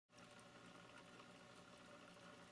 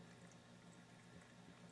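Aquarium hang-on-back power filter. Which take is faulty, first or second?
first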